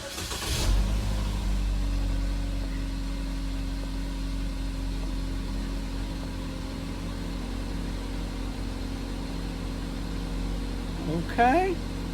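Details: 2015 GMC Terrain after oil pressure sensor replacement: quick crank and catch, then smooth even idle with steady low drone, no knocks or misses; fix appears to have worked.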